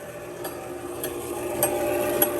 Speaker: that's this thing running but obviously it's not resetting properly because it's not hitting any of the switches